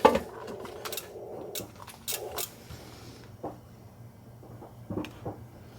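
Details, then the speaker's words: Xiegu GPA100 ham radio amplifier relays click erratically in a quiet room as it switches bands on its own in auto mode, even on the interface cable with Bluetooth off; cause suspected, not confirmed. "See, it just started clicking again, and it jumped. Doesn't like that."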